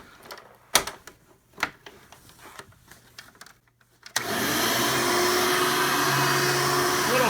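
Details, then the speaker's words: Hoover Elite vacuum (an 88) on the normal setting, fitted with a newer motor from a 95 Hoover: a few handling knocks, then the motor spins up to a strong, steady, even roar with no rattle or labouring. It sounds much better, so running is normal. "motor sounds so much better now now that either Hoover that I robbed the motor from was the 95 this one is an 88 so that motor is a little bit newer"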